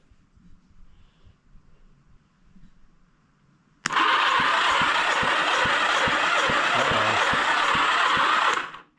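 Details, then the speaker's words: 1976 Honda GL1000 LTD Goldwing flat-four being restored, oil added and cylinders fogged, cranked on the starter for a compression test of cylinder 1: steady chugging, and the gauge reads only 70 psi, low; oil squirting shows the oil pumps work. "number one is low. I've only got 70 psi."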